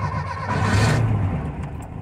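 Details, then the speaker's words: Cold start after three throttle pumps on a car with IDF carburettors, tested for hesitation: engine catches and revs cleanly with a deep even note, not a single pop from the carbs, very responsive; normal cold start. "nope not a single pop no pops zero pops very responsive"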